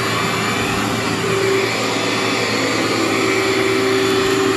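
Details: Cleartrak/Workhorse vacuum after brush and belt replacement, set to floor: steady even whir with faint constant hum, no rattle or slapping belt; brush running healthy.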